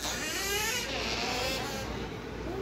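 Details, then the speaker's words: Squeaky bedroom door hinge: a long, wavering, cry-like squeal as the door swings open, typical of a dry hinge; oil (or shampoo if no oil) on the hinge is suggested to eliminate it. "Tá certo eu gostei eliminar esse barulhinho aí chato se você por acaso não tem aquele óleozinho aí para colocar aqui na Rua Batista colocar aqui na dobradiça"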